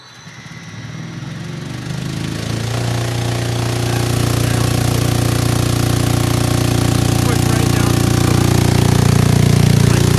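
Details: DIY 3.5 cu ft vibratory tumbler, direct-drive 3 hp three-phase motor on frequency drive, run up to about 120 Hz with nearly dry ceramic hybrid media (best performance about 88 Hz): motor winds up to steady deep hum with dry media rattle; normal running.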